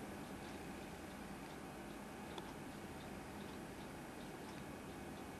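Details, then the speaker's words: Compaq Presario V6000 laptop running Windows 7, sold as working: faint irregular ticking over a low hum; owner suspects the hard drive is struggling, not confirmed. "was that I think that hard drive is struggling now it was sold to me as working"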